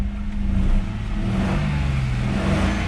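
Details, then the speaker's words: Cheap used Mercedes E-Class with an idle misfire: engine pulls up cleanly on the rev with an even, steady drone and no stumble; misfire only at idle, gone at higher rpm, better than the night before. "when you get up into the RPMs the misfire is gone it's just when it's an idle and it's a lot better than it was last night"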